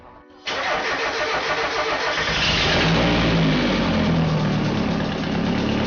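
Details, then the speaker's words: Turbo Miata startup after installing eBay catback: loud, raspy, puffing ragged idle; giant exhaust leak traced not to catback or downpipe but to right side of exhaust manifold, found with smoke machine. "So as you could tell in that startup video, there was a giant exhaust leak. And much to my surprise, it's actually not the catback or the downpipe. It's actually looks like it's from the right side of the exhaust manifold."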